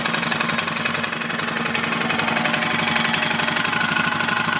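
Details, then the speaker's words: 2005 Suzuki King Quad 700, warm, with hard starting and blue smoke: steady idle with a sharp metallic knock about twice a second, seeming worse on the clutch side and worse with revs; top or bottom end unknown. "the knockin I kind of moved the microphone around a little bit to see if you could tell where it was coming from on the motor whether it's top end or lower end seems to be a worse on the clutch side"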